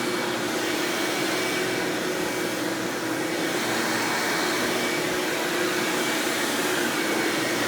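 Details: 1997 Hoover Dirt Finder Power Drive U6331-930 self-propelled upright vacuum running in floor mode: steady, even motor roar, no rattles, flutter or squeal; exceptionally smooth and surprisingly quiet for an Elite, normal running.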